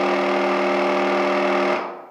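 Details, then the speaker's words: Graco TrueCoat Pro 2 paint sprayer, the stronger of two units, still spraying well and cleaning up fine: smooth steady hum with even buzzing tone, no knocks or surging, winds down cleanly; normal pump running as it's supposed to sound. "how I remember the unit sounding and that's how I think it's supposed to sound"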